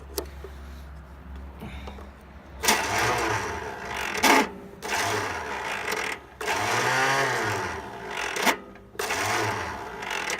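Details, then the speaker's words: Small engine started on carb cleaner via battery cables, no ignition switch: short bursts of strained, uneven cranking with chattering starter motor; starter failing, engine then runs well. "Starter's definitely messed up. Ah! Well, it runs. Sounds like it runs pretty good."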